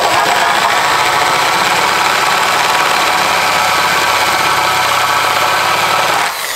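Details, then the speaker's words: Hand drill with a 3/8 bit boring angle iron for a workbench leg; loud howl with rough, irregular chatter and uneven cutting. The bit was found dull and chipped. "this is not a sharp 3:8 we may have a problem shoot there's a chip in it"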